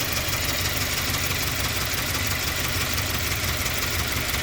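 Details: 2017 Subaru Forester XT turbo petrol engine shaking and surging at idle with an irregular low chuffing pulse; codes P0300, P0303, P0017; new plugs, coils checked, throttle/EGR/MAF/MAP cleaned, unchanged.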